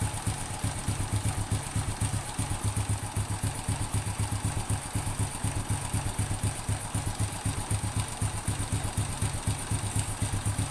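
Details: Honda Supra X 100 (C series) with knocking on the right-hand clutch side at idle, after replacing timing chain roller and tensioner roller: steady, even idle about four beats a second, no rattle or roughness.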